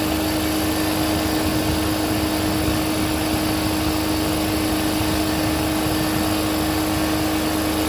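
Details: Air compressor restarted at about 20-27 psi after resealing a leaking fitting with thread paste: continuous steady drone with a fixed mid-pitched tone and no knocking or hissing bursts. Runs evenly.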